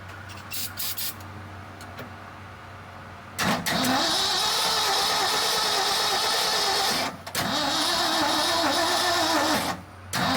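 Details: 1976 Ford F-600, first start attempt in over 10 years, spark issue under diagnosis, cranked on a jump box: two long bursts of steady, even starter cranking, but the engine never catches. Cranks but won't start; cause unconfirmed.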